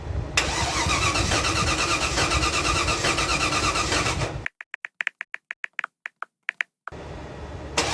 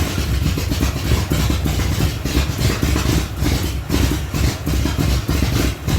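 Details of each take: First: 1975 Datsun 280Z with swapped 358 small-block Chevy V8 on a home-built Megasquirt 3X ECU: starter spins it in steady, even pulses but it never fires; crank-no-start traced to firing-order wiring error. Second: 1975 Datsun 280Z, swapped 358 small-block Chevy V8 on Megasquirt 3X, first start in over 4 years after wiring fixes: loud, deep, slightly lumpy idle with booming exhaust pulses, running on its own; normal idle.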